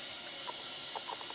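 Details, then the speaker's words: Behringer Eurorack UB1002 mixer after recapping, powered on with audio leads connected: only a soft, even hiss, the previous hum gone; hiss is said to be typical of these mixers, possibly from other unreplaced caps. "no hum yeah and these mixes Euro Euro TR ub12 are known for their hissin"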